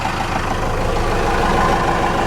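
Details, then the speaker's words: 4BT Cummins diesel in a truck after idle adjustment with fuel pin maxed out: steady low rumble at even idle, a bit shakier but sounds better, like a Cummins; normal idle. "that sounds a little better there's a little more shakier but it sounds like a cummins"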